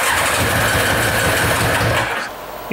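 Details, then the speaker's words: Yamaha motorbike after carburettor cleaning, which cuts out when choke or throttle is touched: catches, runs rough about two seconds, then dies; won't keep running, owner suspects an electrical fault. "shame it didn't get going it's part and part of it's the s the Yar is it oh I don't know it wanted to go it wanted to go wanted to go yeah I honestly think that's electrical"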